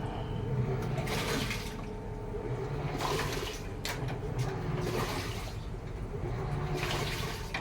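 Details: Samsung automatic washing machine after controller board repair (driver IC and water inlet solenoid); water now fills. Water sloshes in regular surges about every two seconds over a low motor hum; normal wash cycle.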